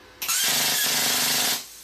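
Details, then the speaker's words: New plasma cutter on low supply voltage in New Zealand: a loud hissing arc with rough crackle sputters when the torch is off the steel, then returns to a proper cut on contact. Ground connections were checked tight; low voltage is the cause. "see that there is butter but as soon as I touch it on the steel guys you watch it goes to a proper cut again and if I take it off the steel it goes again"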